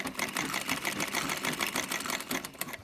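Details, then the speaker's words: Restored Singer 306K23 zigzag head in treadle table, cam cleaned, oiled and regreased, sewing with microphone close by; light even ticking about three stitches a second over soft whirr, no knocks or grinding, quieter than other treadles. Normal running. "she sounds quite loud because of course the microphone is quite close to that, so of course she's going to sound loud to you, but to me she's actually sounding incredibly quiet compared to some of my other treadles."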